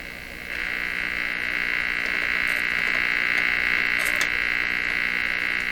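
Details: Nordmende Traviata 59 tube radio with low output, detector circuit suspected: steady high raspy tone with fast even croak about four times a second and no reception; croaking noise, cause unknown.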